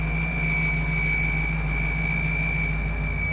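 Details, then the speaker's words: 1955 Willys wagon, first run after carburetor work, low on transmission fluid: a steady high whine over an even engine rumble. Engine whine; owner suspects a vacuum leak. "Well, it's running a lot better, but I'm not sure what that noise is."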